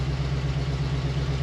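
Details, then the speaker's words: 1966 Ford F100 V8 with Chinese knockoff 2100 carburetor, just started after pumping: deep steady idle rumble with a faint regular puffing tick from an exhaust leak. "I got an exhaust leak too so"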